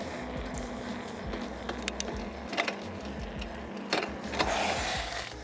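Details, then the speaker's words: Cheap mountain bike with new Shimano rear derailleur and chain, cranked by hand on stand: chain clatters and ticks irregularly across cogs, not reaching highest or lowest gear; derailleur not yet adjusted. "definitely not shifting prop I guess it's time to try to adjust this dang chain"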